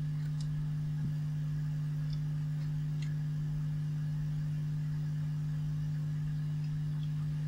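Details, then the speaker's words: Vintage 1970s Marshall 6400 mixer amp: a steady low hum at mains ripple pitch, seen on the output transistor emitter and judged amplified from an earlier stage, with the amplifier input to be checked next: mains hum. "okay so what have we seen there is effectively being Amplified from somewhere on an earlier stage and turn these up it's back again"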